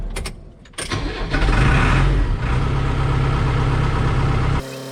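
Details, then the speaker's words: New Holland TS100 tractor diesel after fuel filter change, held at about 1500 rpm to draw fuel through: quick crank, catches at once, revs and holds a steady, even run before easing down; starts and runs cleanly. "All right, I think we're good. That fuel filter sucked in there nice and tight. I didn't hear it. Sounded like it wanted to die, so that's good."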